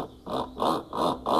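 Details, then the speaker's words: Brastemp washing machine after mechanism replacement: rhythmic scraping rasp with each agitation stroke, spin normal; drive pulley rubbing on the cam kit, fixed by fitting a serrated washer under the pulley. "tá fazendo um barulho tipo um raspado. Isso geralmente é a polia que tá esbarrando no kitcam."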